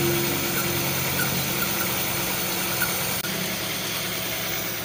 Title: Misfiring with white smoke HondaCity idsi #shorts